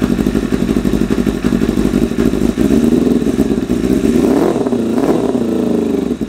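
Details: 1988 Kawasaki ZXR250 four-cylinder first run; lumpy, uneven idle with rough flutter, then a lazy climb in revs; running ridiculously rich, owner suspects idle mixture screws set 3.5 turns out from bottom are too rich.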